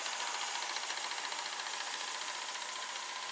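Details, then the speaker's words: Mitsubishi HS-U51 1980s VCR rewinding a tape without unloading it, a bit faster than a similar-mechanism Panasonic PV-4942-K; even steady whirring hiss with no catches or wobble, solenoid brake clicks when rewind stops; normal tape rewind. "And if you press rewind, you can see on this VCR it does not unload the tape. And I think it runs a bit faster than the Panasonic."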